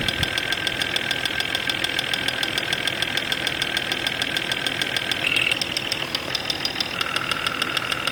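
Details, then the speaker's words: Jeep XJ Cherokee 4.0 L at 175,000 miles, intermittent knock mostly when cold, heard via ChassisEAR at injectors: fast ticking with sharper taps, loudest at cylinder 5; suspected dirty injectors causing lean knock or internal noise; intermittent engine knock. "Number 5 cylinder is quite loud."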